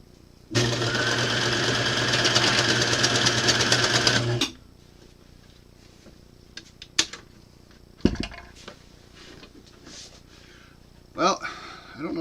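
Fast, steady mechanical chatter for about four seconds, then it stops and fabric is handled; the run sounds even, though the stitching went wrong. Cause suspected, not confirmed.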